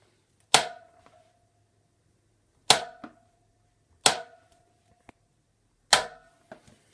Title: Clunk sound from Fatbike